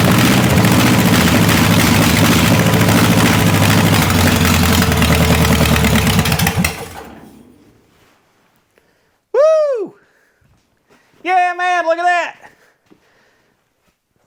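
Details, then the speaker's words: Buick 401 Nailhead rail dragster, first fire: runs loud and choppy about six seconds, then dies; owner suspects fuel delivery issue, running on gas already in engine through a long fuel line. "I think I think we just got a fuel delivery issue because we wanted to run there for a little bit on the gas that was in the engine"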